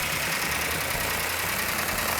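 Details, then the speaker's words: Plymouth 'Cuda 440 Six Barrel with a new Comp Cams Mutha Thumper cam, initial startup with rpm held up for cam break-in: loud fast idle with light, busy valve train ticking, normal for a new engine. "got a little bit noisy valve train which is normal on a new engine we're going to hold the rpm up so the can can break in nice"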